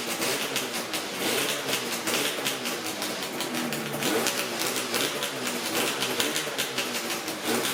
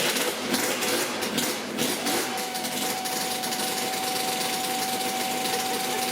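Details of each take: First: Yamaha RZ350 two-stroke motorcycle after lubricating the tachometer and speedometer mechanisms: idling with busy rapid rattle and crackle, the previous gauge squeal gone. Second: Yamaha RZ350 two-stroke project bike at idle: steady high screeching squeal from a dry mechanical tachometer in the gauge pod.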